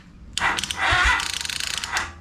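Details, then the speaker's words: 2002 Honda Foreman TRX400 ATV, about 21,000 miles: pressing the starter gives a short burst of quick clicks while the engine barely turns over, cranks weakly and never catches; owner thinks battery is good and suspects a tired starter. "whenever you go to hit your uh the starter that's the horn hit the starter it just barely turns but you can hear it"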